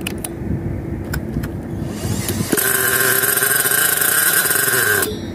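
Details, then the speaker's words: Thunder Tiger EK4 .70 nitro engine, first break-in tank after new piston, sleeve, ring and bearings, 20/20 fuel, O.S. 8 plug; sputtering cranking, shrill high buzz catches briefly then dies; low-speed needle too rich, to be turned in a quarter turn. "that was really good guys it started so looks like the low uh low speed is a bit rich because it was you heard it stalling there"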